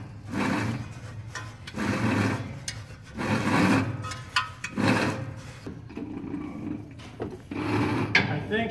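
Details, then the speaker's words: 1967 Jeep Gladiator military version, 24-volt, dormant 30 years, 6K original miles, engine turned over by hand with plugs out: slow bursts of dry ratcheting about every second and a half; owner suspects alternator bearings. "you listen that ratcheting noise I think that's the bearings in the alternator it seems like where it's coming from is it right there"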